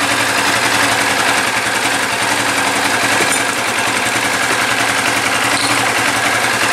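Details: 2013 Yamaha New Vixion single after rebuild with new block, piston and related parts, radiator filled; fast, even putter at idle with steady smooth beat, no knocks or rattles; the knock had come from a worn piston and block, not the crankshaft; now healthy.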